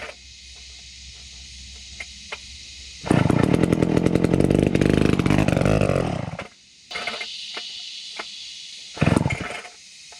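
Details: Vintage McCulloch 250 chainsaw running after a restoration: snaps to a high, busy rev for a few seconds, drops back cleanly, then blips again; revs evenly and healthy.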